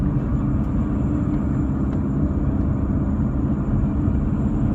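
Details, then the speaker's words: 1993 VW Passat B3 1.9 turbodiesel, faint steady high whistle over engine and road rumble when accelerating from second gear on, not in first; owner suspects turbo or burnt pipe, unconfirmed. "на первое не свисти скорость небольшая но со второй начиная уже газу даешь и свистит мне почему то кажется что это турбина"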